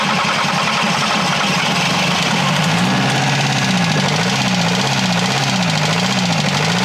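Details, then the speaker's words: Bus engine with about 10,000 km that died while driving: rough, regular knock under the idle clatter, steady with engine speed; the owner suspects an incipient bearing failure, most likely a connecting-rod bearing, and considers removing the oil pan to check. "Man müsste wahrscheinlich echt hier die Ölwanne abnehmen und gucken, ob das nicht doch ein angehender Lagerschaden ist."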